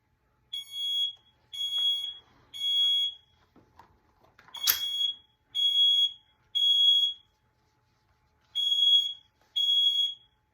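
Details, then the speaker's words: Hallway smoke detector tested with shaken Smoke Sabre aerosol test spray: piercing high beeps in groups of three with short gaps, repeating steadily; alarming as it should. "So you shake it like that, and you spray it like this. Ow. So it'll go off."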